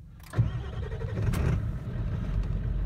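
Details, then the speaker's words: 1996 Ford F250 7.3 diesel, five-speed, cold start at about 28 degrees after glow plug wait: short crank, catches at once and settles into a steady even idle, no check engine lights; clean, healthy cold start. "up which is always a good sign no check engine lights another good sign"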